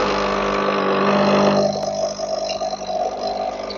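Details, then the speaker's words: Nescafe Dolce Gusto coffee maker reassembled after fixing its blocked pump: steady pump drone with hissing and gurgling as the reservoir empties and steam spits through the pod; brew cycle normal. "There's so steaming water that's supposed to go through the pod."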